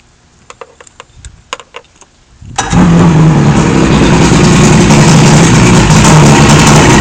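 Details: 1976 Johnson 85 outboard with no choke solenoid: a few clicks, then it catches and settles into a fast, slightly uneven idle beat; owner unsure whether idle is rough, cause unclear.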